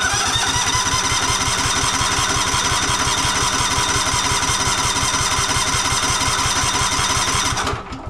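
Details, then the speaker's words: Cub Cadet Enduro XT2 SLX50 riding mower with 679cc MTD EFI engine, no choke, throttle on high, seat and brake engaged: starter cranks steadily for about eight seconds but never fires; intermittently won't start or stay running. "not wanting to start I've got it all the way high"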